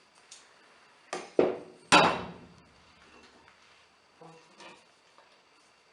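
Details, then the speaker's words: Removed shock absorber worked by hand gives dull, irregular knocks at each stroke reversal; broken rod guide bushing inside the shock, knocking on rebound, piston system disturbed. "Ну, допустим, вот в амортизаторе втулка направляющая разбита. Ну, слышно, да? Удар."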